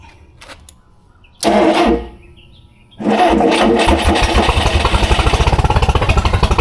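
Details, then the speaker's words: One of two rare experimental 4-cylinder big-block engines, first start in 15 years, ignition timing being adjusted: brief sputter, pause, then fires with uneven lumpy pulse under throttle, won't stay running though shooting fuel; cause unconfirmed. "It's shooting fuel. I don't understand why it's not staying running then."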